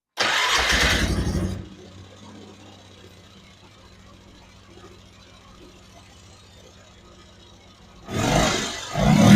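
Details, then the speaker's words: 1995 Polaris Magnum 425 2x4, after securing loose cover mounting bracket that the primary/belt was hitting: short startup burst settles to soft even idle without drive-side rattle; normal idle, transmission noise fixed. "Definitely a lot quieter. I believe that that took care of our noise."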